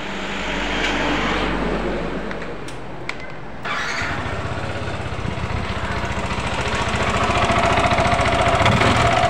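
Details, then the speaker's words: Yamaha NMAX scooter starting and idling: fast regular ticking from over-loose valve clearance over a coarse rattle from a slack CVT V-belt, caused by worn roller housing and roller fan; earlier misdiagnosed as a connecting rod. "Ini mengalami problem atau trouble suara kemelitik dan geladak-geladak ya, krok seperti stang seker yang kena ya."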